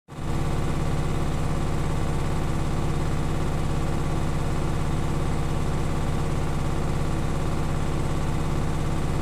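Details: Beko washing machine bought 9 months ago, quiet for the first 6 months, now ticking steadily (about three to four ticks a second) over a low hum during the spin cycle, despite leg levelling and added vibration dampers.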